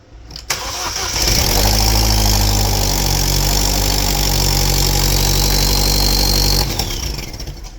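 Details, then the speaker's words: 2012 Chevrolet Cruze 1.4L turbo after head gasket replacement, first start before adding coolant: cranks briefly, catches cleanly and settles into a smooth, even idle with no misfires; burning off oil smoke. "Well, it ran. So, I'm going to put coolant in it and go for a test drive. Still runs good. Didn't misfire a bit when I fired it up either."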